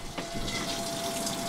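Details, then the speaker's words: 2004 Sea Pro 255 boat live well pump (about 25-gallon live well): steady gush of water over faint even motor hum, no surging or rattling; pump running fine, well needs cleaning. "And if it's like most of these live wells lately, it still needs to be cleaned out, but it's pumping."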